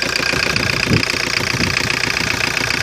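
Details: 1985 Ford Escort diesel, Mazda RF 2.0 engine, five-speed, first start after sitting three years, not revved: even clatter about 220 beats a minute, steady pitch, no misses; healthy idle.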